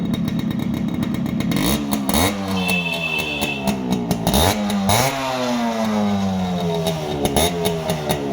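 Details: Fully restored Yamaha RX100 two-stroke after crank bearing repair, hand over silencer: crisp crackle rising and falling with each throttle blip, clean and even, no knocks or rattles; engine healthy.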